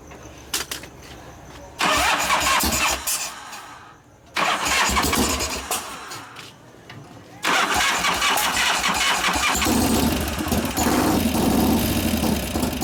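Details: 1988 Harley FXR after lifter-noise repair (pushrod adjustment, cam change); several cranking bursts, then the V-twin catches and settles into an even loping idle with no top-end ticking; normal start and idle.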